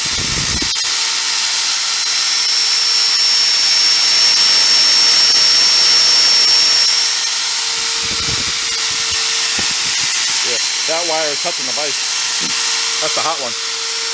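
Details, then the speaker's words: Hoover Elite carpet cleaner motor, run with its fan moving air, internals packed with paper: a steady airy rush with constant hum, no speed wander or rubbing. Normal smooth running. "it's moving some air boy we'll let that run for a while"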